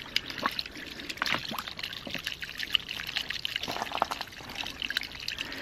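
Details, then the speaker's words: 1/2-inch ram pump with garden hose drive pipe: only steady pouring water, no rhythmic valve clacks, pump not cycling; the curve in the hose stopped the cycle, straightening it restarts cycling. "typically when that happens there's still air in that drive somewhere I work with things for just a minute and realize that the curve that I had going over was enough to stop the cycle"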